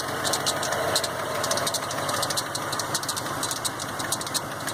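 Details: 1990 Ford F150 idling with a thin, high chirping squeal pulsing in short bursts; sounds like a slipping drive belt.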